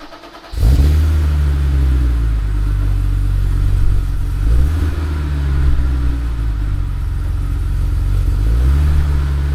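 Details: 1980s BMW E34 5 Series Hartge barn find. Fires instantly, then clean, even revs rise and fall smoothly with no misses or knocks; healthy, crisp-running engine.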